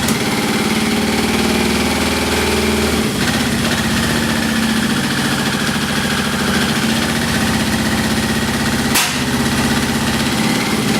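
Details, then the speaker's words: Yamaha XJ650 motorcycle, run after transmission fluid was put in the cylinders for a suspected sticky valve, very smoky: loud uneven idle with a stumbling beat and sharp tick; one plug has no spark, another is weak, and there is an exhaust hole. "I think I had a hole in my exhaust and that sound like a sticky valve"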